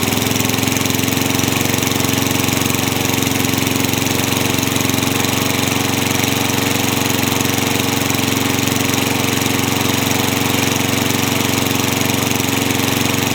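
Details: Craftsman mower with engine swapped in for the blown Tecumseh, running after the kill switch and coil wiring were fixed to restore spark: single-cylinder steady, even buzz with fast regular firing and no misses; running fine.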